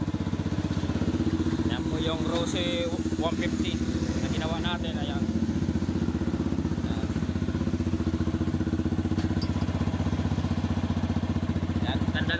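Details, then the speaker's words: Rusi 150 single-cylinder motorcycle after the cam, push rods and cam followers were replaced to cure a top-end tick from large valve clearance; steady, smooth idle with no ticking. The piston was not replaced, so it smokes slightly. "ganda ng andar o walang lagatik kahit konting lagatik wala yyan walang lagatik"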